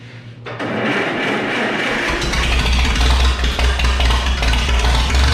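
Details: McCormick W4 tractor with newly built ignition wires and new spark plugs: the engine catches and settles into a steady low idle, then picks up revs; firing is fairly even with no obvious misses.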